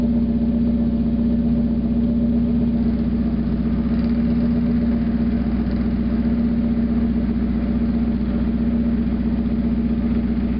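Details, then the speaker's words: 1991 Mazda Miata MX-5 parked about five months, idling with the catalytic converter removed: a loud, raspy, droning idle with regular pulsing, far too loud, though the engine revs quicker and runs smoother without the back pressure. "Well, I was right. Sounds like crap. Definitely revs up a whole lot quicker though."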